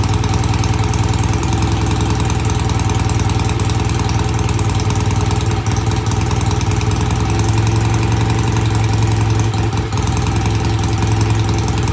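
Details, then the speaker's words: BSA A65 with new Premier carbs, pilot jets just cleaned. Easy cold start after tickling, then a steady, even low thump at idle with both cylinders firing regularly, no misses or stumbles. Normal idle. "I think that sounds great got a good idle both sides sounds good easy start"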